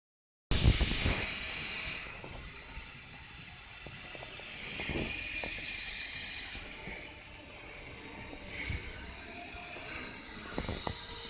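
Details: Ford Figo 1.4 TDCi A/C compressor making a quiet, steady airy hiss over faint clicks and rattles; cause not determined.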